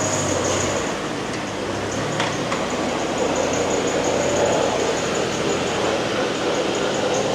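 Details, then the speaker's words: 2020 Ford Expedition 3.5 twin-turbo on a lift at about 35 mph: a steady rushing grind rising with wheel speed, traced to the front differential and separate from a squeal elsewhere. "No, not the squeal. Grinding noise. The squeal's over here."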